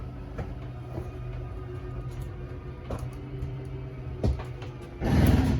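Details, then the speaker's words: 2019 Jayco 267BHS travel trailer slide-out: steady low motor drone with a sharp click every second or so near the end of travel, the normal motor whine and clicks at full extension, signalling to release the button. "And there you go, you got that clicking, so you know they're fully extended."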